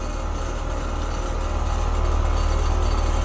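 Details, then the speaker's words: Apartment heat pump in heating mode, gauges at the outdoor condenser: steady compressor drone with soft pulsing as suction pulls down to 15 psi, then the low pressure switch cuts it off and it cycles. Low refrigerant charge. "15 psi it's about to cut off there it goes so low pressure switch is cutting the unit off it'll kick back on here in a second it'll try to operate and of course it's going to kick back off"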